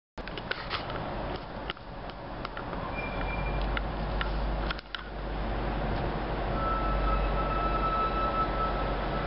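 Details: 2008 Audi Q7 4.2 while rolling: faint, thin high-pitched brake squeal rising out of a quiet low rumble near the end; cause unknown.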